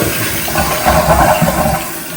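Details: Toilet refilling after the fill valve's vibrating water restrictor washer was removed from underneath. The water rushes and hisses with no buzzing hum, and the fill valve runs quietly and normally.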